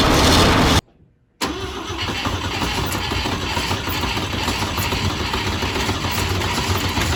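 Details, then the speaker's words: Volvo 164 with B30 engine, first start since 1994 after a cooling flush, cleaning and oil change: short crank, then an even, steady idle with no knock or tick; sounds healthy. "yes and it didn't have a knocky sound either no she sounds fine she sounds really healthy"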